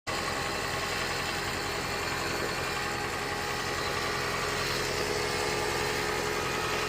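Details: Second-generation Toyota Prius with the heater on, blower not the issue: loud, steady droning hum with a hissy edge; source unclear, cause not confirmed.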